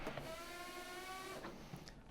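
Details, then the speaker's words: Treadmill stomp test before tensioning: belt stalled underfoot while the motor whirs on steadily and the front roller keeps slipping, showing the running belt is too loose. "you can hear when it stalls you can hear the front roller is still slipping which indicates that the belt is too loose"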